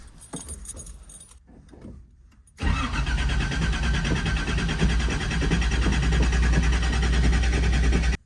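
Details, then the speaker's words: Datsun 280ZX with a new alternator and new battery: about five seconds of even starter churning at roughly three beats a second that never catches. It cranks but won't start; fuel was then found leaking from the fuel filter, the suspected cause. "well that was a fail let's check it out and see if there's anything that we missed"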